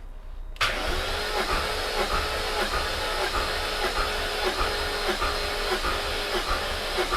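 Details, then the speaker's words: High-mileage supercharged S62 V8 BMW E39 M5 compression test, cylinder 2 reading 170 psi with higher battery voltage: brisk, even cranking with steady compression beats; normal cranking compression. "So definitely battery voltage was way up then. But that's 170 there."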